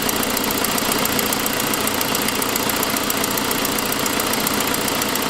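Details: 2006 Saab 9-5 at idle, sharp even ticking about two and a half per second, first suspected lifter; an exhaust leak at the manifold caused by a broken forwardmost exhaust stud.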